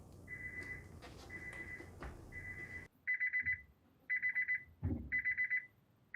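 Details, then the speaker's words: 1996 JDM Honda CR-V RD1 automatic with K24 swap: shrill warning buzzer beeping about once a second then in stuttering bursts, ignition lock still on because the car thinks it is not in park; inhibitor switch wiring issue. "anything smoking on fire yet no and the ignition lock's still on so it obviously thinks it's it's not in park god that sounds annoying"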